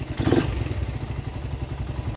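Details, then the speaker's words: Raider 150 carbureted motorcycle at 47,734 km, just started: fast, regular light ticking over the single-cylinder beat that follows engine speed, from worn, scored cams; parts are to be bought and replaced later. "So naririnig yun, yung ingay talaga niya kasi gas-gas siya."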